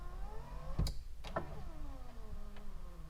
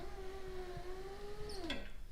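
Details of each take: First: Turbo Honda Accord power window: motor whine sags lower as it labours upward, clunks at ends, glass moves slowly; owner suspects voltage drop or need for lubrication, unconfirmed. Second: Turbo Honda Accord driver's power window just after repair (previously went up only with door closed): smooth even motor whine about 1.5 seconds, then drops and stops with soft clunk; window goes down and back up normally.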